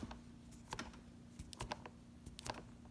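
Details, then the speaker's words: Inboard M1 electric skateboard hub motor giving sharp, uneven clicks over a low steady hum; only one motor clicks, and it sounds worst in second mode; the maker agreed to replace the motor. "just have a problem with the clicking noise in this motor right here."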